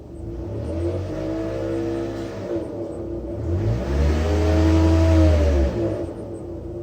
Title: 2008 mitsubishi lancer gts weird engine noise